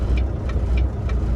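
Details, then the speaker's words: Volvo semi-truck diesel, running after fuel additive treatment in both tanks: heavy drone with a sharp tick about every third of a second, uneven and rough; rough running, owner suspects injector trouble. "I'm a smart man but I think I need some injector work or something like that huh"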